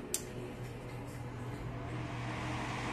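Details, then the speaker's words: Pair of new rack cooling fans after replacing worn noisy ones, soldered connectors, running: steady even low hum with smooth airy rush, no rattle or grinding; normal fan noise. "normal fazer um pouco de barulho tá esse cooler ele é para rack então ele serve para fazer a ventilação do r tanto puxar o ar frio de baixo para cima e expulsar o ar quente de dentro para fora do rack né"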